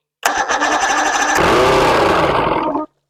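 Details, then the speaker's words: 1993 Evinrude 115hp outboard, unknown history, reportedly last ran about two years ago, started on the fuel primer solenoid: brief cranking, then a ragged, uneven burst of running that dies within seconds; not firing on all cylinders. Owner suspects dirty carburetors. "It ain't running on all four though, I'll tell you that. I think those carburetors need to come off. Those carbs are dirty."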